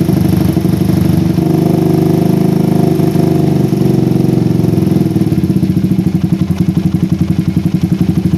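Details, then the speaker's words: PE24 carburetor on a Satria FU motorcycle, stock needle jet with J6ZB needle, pilot jet 35, air screw nearly out: idle wanders up and down, revs slow to drop, no crisp rev; too rich at low rpm from the oversized, too-short needle jet. "ini artinya untuk RPM bawah ini terlalu basah guys ya padahal saya menggunakan PJ ukuran 35 aja guys dan IDnya juga gak bisa stabil kayak gini ya agak naik turun sedikit"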